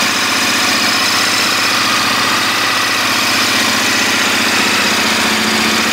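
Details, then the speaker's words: KTM 1290 Adventure big twin, cold start: steady, fast idle with an even metallic clatter on top and no changes in rhythm; normal cold-start mechanical noise for this engine. "c'est un moteur qui quand vous allez le démarrer à froid là la moto est froide vous allez pouvoir l'entendre on va entendre beaucoup de bruit métallique euh tout ça c'est normal"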